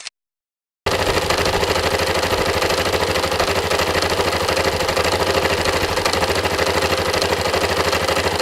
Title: engine knocking Yamaha MT03